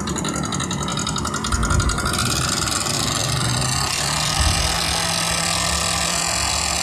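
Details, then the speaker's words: Fairly new Yamaha NMAX 155 scooter, CVT cover and pulley removed to isolate the noise: harsh, fast metallic ticking at idle from inside the engine's cylinder head, pointing to a worn valve rocker arm. "seperti itulah suara yang saya maksud suara kasar pada motor Yamaha nmax ini"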